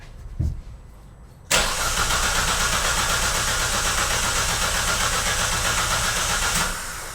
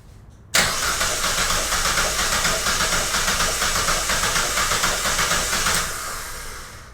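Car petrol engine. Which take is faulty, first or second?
second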